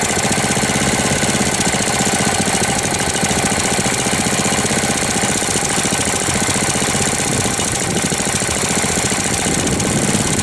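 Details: 1998 Briggs & Stratton 60 Intek Edge 6 hp, restarted after long storage, not warm, air filter removed, oil level fine: fast rattly knocking at steady speed; owner fears seizure, cause unknown; abnormal knocking.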